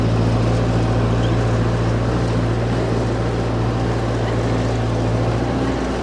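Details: Ford 8N tractor (circa 1948–52), driven under load after getting it running again, sounds good: an even, steady low drone pulling without any popping or cutting out; the engine runs smoothly and healthily.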